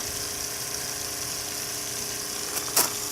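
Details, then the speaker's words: Repaired RV drinking water pump (was leaking; cleaned and reassembled) running under test, pumping water: steady even electric hum, one brief click near the end; quiet and healthy, only loose fittings leaking. "Quiet pump too. So it seems to be working."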